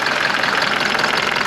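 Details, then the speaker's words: Mercedes W201 190D diesel idling after a new engine hood insulating mat was fitted: fast, even clatter on every firing pulse, a loose rattle rather than deep knock; owner found a part cracking away, considers tightening its nut or replacing it. "Oh, this one is cracking away. And I think I have one of those in the basement. And I wonder if I try and tighten that nut."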